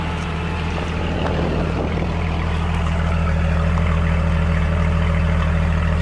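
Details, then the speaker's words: 1999 Jeep Cherokee XJ 4.0 swapped engine, about 500–600 miles since swap, 200-mile oil change done, cat then straight pipe with muffler removed: steady deep even idle, loud open-exhaust rumble, no ticks or knocks; healthy. "It sounds pretty good. It's just a straight pipe right out of the... Yeah, we got cat and then straight pipe. We just took off the muffler."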